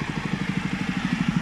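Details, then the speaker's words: Toro lawnmower, small single-cylinder engine, running after tuning with a shortened throttle cable fitted: quick, even firing pulses at a steady speed with no misses or knocks; normal running. "Tady ten krásný romantický zvuk, co tady slyšíte, to už je to naše toro, poladěný."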